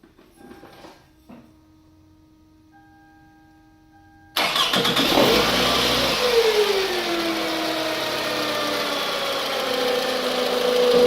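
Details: 2006 Toyota Camry starting: soft chimes, then engine fires and a clear high supercharger-like whine rides over it.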